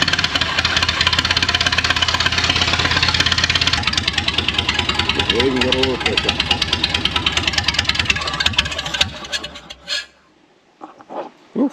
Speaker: I reckon I had maybe I had at least two gone possibly two and a half but I think there was one that wasn't working but anyway that's a start that is a start